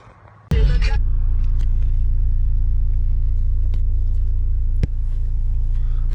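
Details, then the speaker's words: Car starting after an exhaust leak repair where the 2.5 inch pipe connects to the 3 inch: it settles into a deep, even exhaust drone with no ticking or puffing. It is no longer loud and the exhaust is sealed. "it's not loud at all anymore like how it used to be it sounds good like obviously it's not like there's no [ __ ] leak"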